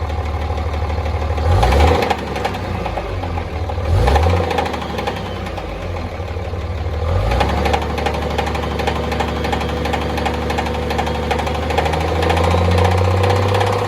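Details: Cummins diesel idling with a heavy, fairly even knock about three times a second over the clatter; the owner is unsure whether it is the flex plate, a rod or the main bearings.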